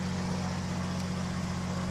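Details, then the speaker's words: KR2 aircraft, first flight after 3-year repair, pre-flight run-up mag check on ignition 2 only: steady, even engine drone with low hum and no misses, stumbles or roughness; runs cleanly on the single ignition. "It's good."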